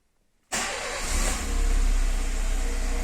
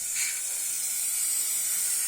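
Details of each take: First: Engine after replacing O-rings, the likely cause of an intake air leak that lit the oxygen sensor warning light: catches after a short crank and settles into a steady, even idle with smooth low rumble, no misses or hissing. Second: Engine with oxygen sensor warning light from a bad air-fuel mixture: with throttle body covered by hand and slight air pushed into the intake, a steady sharp high hiss of air escaping from an intake leak.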